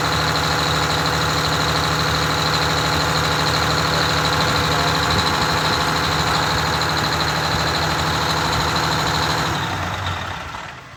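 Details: Rebuilt Detroit Diesel 6V92TA in a Wanderlodge bus, sat unused: steady fast drone with thin whistle, idle about 400 rpm too high (target near 600), winding down at shutoff; fast idle adjustment being checked.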